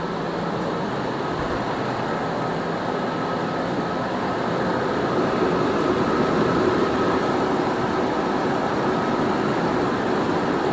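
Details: 2006 Nissan Armada 5.6 V8 (body 185,000 miles) freshly swapped and running, oil pump primed by long cranking: an even, smooth idle with a steady low hum and no knocks or misses. Normal idle.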